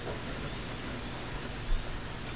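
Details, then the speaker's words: Flat-screen TV power supply after dust cleaning: a faint high chirp about every 0.6 seconds over a low hum, apparently from the transformer, as if trying to start and dropping out. Cause unconfirmed; a start-capacitor-like fault is suspected. "it wasn't that high pitched whine before it was like a chirping it kind of sounds like it's coming from the the transformer"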